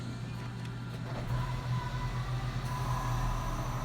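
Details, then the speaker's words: 2002 first-generation Toyota Prius with AC compressor seized after running low on refrigerant: low engine hum strains louder and revs drop as the AC clutch engages and slips against the frozen compressor. "it's a frozen compressor so the clutch is actually trying to stop the belt and pull down the engine rpm because all it's doing is sliding because the clutch is not turning because of a frozen compressor"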